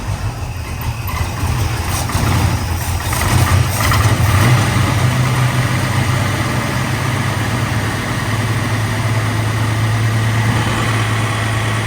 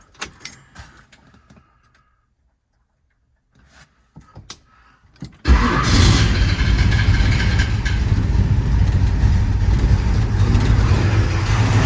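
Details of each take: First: Engine cranked and started in shop: rough loud idle with uneven puffing tick about three a second over low rumble; exhaust leak at headers, fix planned by removing headers and fitting gaskets. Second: 1966 muscle truck V8 cranks after keys rattle, catches at once and settles into a low, steady rumbling idle; starts and runs fine, though an exhaust leak is heard, headers to come off for new gaskets.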